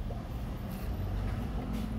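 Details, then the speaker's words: Toyota Fortuner 2GD diesel at idle: faint rough rumble with light scratchy overtone from worn alternator bearing, not the engine; fix is replacing the bearing. "2gd madalas po problema po kulitin natin yun lang po alternator bearing kaya kakalasin natin to at papalitan lang natin ng bearing"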